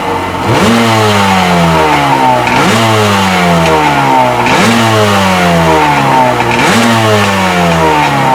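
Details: Sea-Doo XP 720 two-stroke, freshly rebuilt, driveway test on flush hose with pump disconnected; crisp throttle blips about every two seconds, revs rising and falling cleanly with no misfire: normal revving, running strong.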